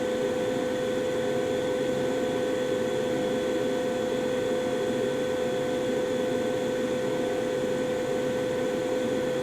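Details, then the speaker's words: 2016 Carrier furnace, first floor, five years old: steady even hum with one fixed tone, no rattles or surges as the blower kicks on; normal furnace startup. "so and of course you probably didn't hear it but right there the uh blower just uh kicked on"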